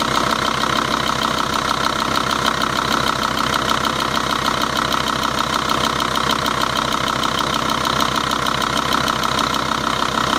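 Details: 2.5 TDI Volvo-Audi diesel at idle: quick, fairly even ticking about three per second over the diesel clatter; source of the tick unclear.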